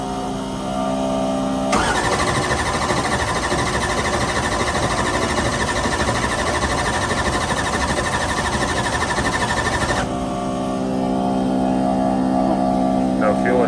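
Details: Drag race car (set up for Ultra Street, running X275 at Lights Out day two) after a broken cylinder-four intake rocker was replaced with steel rockers and a tune flashed to start without the broken coolant sensor plug: engine catches cleanly, runs loud and even, settles to steady idle; normal start.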